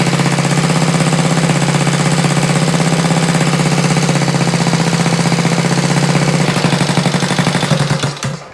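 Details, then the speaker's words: Honda Z50 mini trail single-cylinder engine, freshly rebuilt from parts, no throttle cable fitted, choke adjusted: steady slightly raised idle with even popping beat, sounding good, then shut off; normal fast idle. "maybe a little bit more idle woohoo oh that sounds good woo that sounds good"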